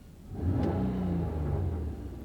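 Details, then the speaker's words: Car with a cold air intake and exhaust change starts fine, and on revving gives a deep rumble with faint pop-pop-pops. It has an air-fuel ratio sensor code, and the mixture needs the computer reset rather than new sensors. "Now as you rev the engine up, you can hear a little popping because of the cold air intake and the exhaust change."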